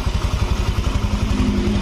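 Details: Honda Vario FI scooter after engine rebuild (destroyed piston replaced): even steady idle putter, evenly spaced pulses, no knock or ticking; crankcase breather no longer smoking as before, engine idling healthy.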